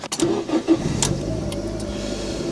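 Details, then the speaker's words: Ford Ka starting quickly and settling into a quiet even idle after repairs including snapped exhaust manifold studs, manifold and heat shield refitted and coolant refilled; previously rattled and clattered, now much quieter. "Much better, sounds really quiet as well."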